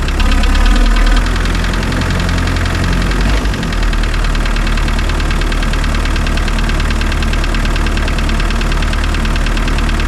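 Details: Spryte snowcat "Rusty" turbodiesel after new OEM Zexel fuel injectors fitted and primed: catches and settles into steady even idle, smooth low rumble, no misfire or roughness; noticeably smoother, rock-solid idle.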